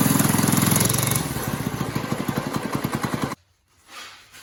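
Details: New Chinese Lifan-type small single-cylinder engine swapped into a go-kart, first start: quick, fairly even chugging beat of about three to four pulses a second, then shut off. Normal running.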